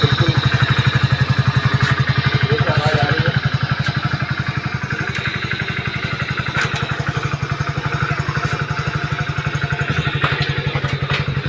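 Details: Hero HF Deluxe BS6 100cc bike after clutch plate replacement: single-cylinder engine settles into a quick, even putter at idle, with no clatter or slipping; runs cleanly.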